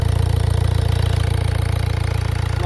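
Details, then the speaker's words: 1.6 HDi diesel after the loose, leaking injector was retightened: a steady, even idle with a rapid low pulse and smooth rhythm, no misses or knocks. "ça c'est un problème de l'injecteur qui été desserrée voulait bien resserré"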